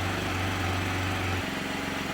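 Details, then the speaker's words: Can-Am Spyder RT at first start after belt alignment and tension work, with code P011C still pending: steady idle with a sharp puffing tick on each firing pulse; exhaust leak at a joint, to be sealed with exhaust joint sealer. "sounds good minus the exhaust leak we'll get that taken care of"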